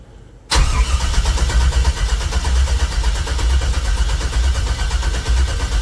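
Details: 1964 GMC truck with new wiring and Holley EFI, after redoing the Holley setup: long steady cranking with a strong even rhythm and no firing at all; turns over fine but won't fire.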